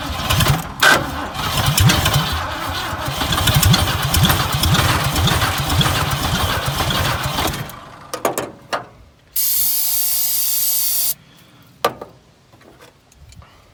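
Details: Dirt-cheap Ford Fairlane that sat in dirt, started by jumping the solenoid, ignition still unfixed; engine fires and runs roughly several seconds, then dies, followed by a spray hiss; runs only on starting fluid.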